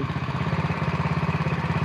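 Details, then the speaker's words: Honda Win single, idle set below 1500 rpm: slow, lumpy idle knocking on every beat; knocks only because idle is too low, normal even on new clutch bikes. "Motor baru keluar pabrik. Kalau langsamnya kekecilan ya glok ngono kuwi Mas. Apalagi motor kopling ya. Pasti glok."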